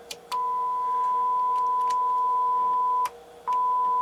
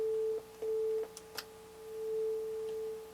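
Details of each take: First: NAD 3150 integrated amplifier after repairs, power test into speakers: clean steady mid-pitched tone in several long stretches with short clicky gaps, no hum or crackle; amplifier playing properly. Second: NAD 3150 integrated amplifier on bench with test tone: tone cuts out abruptly and returns; right channel dropping out, suspected from flux-contaminated open trim pots losing contact.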